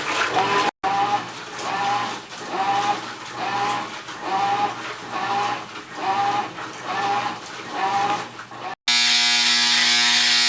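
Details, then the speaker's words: Newer replacement washer set to cold, churning then a harsh, steady, very loud high end-of-cycle buzzer; normal function, owner plans to disconnect the buzzer wire. "holy that's the loudest buzzer I've ever heard sounds like America's Got Talent when they ex out one of the back intestins"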